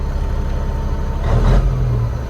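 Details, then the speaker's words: Old over-the-road truck with 13-speed, believed Cat 3406A engine (not certain), just fired up: deep, even diesel rumble swelling briefly with a light rev, smooth throughout; normal running. "Man, it sounds good. I wonder what it's got for a motor."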